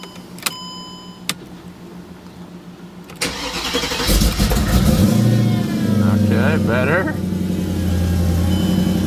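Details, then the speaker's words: Mercedes CLK55 AMG with M113K supercharged V8 swap, EVAP and O2 sensor codes; cold start second attempt, after chimes a short crank then catches, flares and settles to steady idle; slow cold starting, cause unknown. "second time instead of third time progress"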